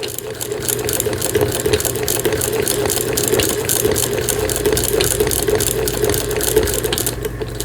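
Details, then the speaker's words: 1906 German Frister & Rossmann antique hand-crank transverse-shuttle sewing machine after repair with a new rubber gasket, stitching with the presser foot down: light, even clatter at about two stitches a second, no binding or grinding, very smooth. "네, 바느질이 아주 잘 되기를 기도하면서 한 땀 한 땀 돌리고 있습니다. 기계 자체 굉장히 부드럽습니다."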